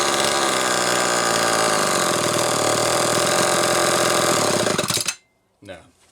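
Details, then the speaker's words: McCulloch Pro Mac 800 saw with rebuilt Zama C2002 carburetor, tested after inspection: screams at a steady high rev with an even two-stroke buzz, then cuts out cleanly; carb judged good. Normal running. "This thing, yeah, it's running fine. You can hear it."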